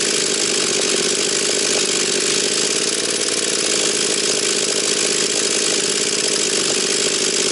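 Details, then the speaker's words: Husqvarna 240 chainsaw after carburettor retuning (L and H screws leaned, about 11,500–12,000 rpm): high, steady, clean full-throttle scream with no sag or burble; mixture sounds right. "Значить вона має десь біля 11,5 до 12 бачите ну не хочу І дальше її крутити тому що воно мені то не подобається"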